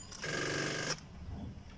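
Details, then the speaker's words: Petrol car left standing, used only once or twice a month, battery fully drained: under a second of fast, ringing starter clicking with no cranking, weak battery no-crank chatter. "तो ऐसा sound आता है, ठीक से crank भी नहीं हो रहा है वो। तो ये दोस्तों बैटरी का प्रॉब्लम है, क्योंकि मेरी गाड़ी जो है ये खड़ी रहती है।"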